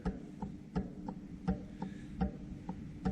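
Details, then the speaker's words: Jointer being set up with freshly sharpened knives, cutterhead turned by hand while the table is raised until the knife just barely touches a square; light crisp scraping ticks about every 0.75 s show the knife height is correct. "we want to raise it up until it just barely touches so we can hear it scraping that's all you want for right now"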